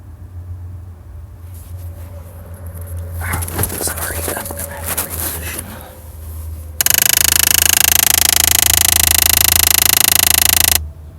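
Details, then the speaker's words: 2010 Jeep Liberty with a sharp, rapid, even ticking from behind the dash lasting about four to eight seconds, occurring at random with the car on or off; everything works normally, owner has mostly ruled out electrical arcing, cause unknown. "it's making the strangest sound it is a rapid ticking noise last about eight seconds maybe not even that long five seconds occurs when the car is on when the car is off"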